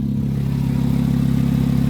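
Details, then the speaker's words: Audi A4 examined for purchase; running engine with a fast, even puffing tick over a low hum that seems to come from up on the engine, with the exhaust manifold suspected; cause unconfirmed. "when the car starts it sounds like it's up there somewhere it doesn't even sound like it's coming from the back sound like it's honestly coming from the engine"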